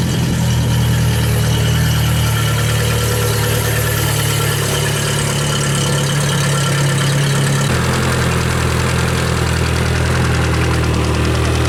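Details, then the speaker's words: Yamaha F60 outboard engine in for diagnosis: steady drone with a deep, uneven knock heard at the crankshaft near cylinders 3 and 4; pulling those plugs did not change it, knock attributed to the crankshaft or piston slap. "отчётливый стук слышно на коленвале в районе третьего четвёртого цилиндра"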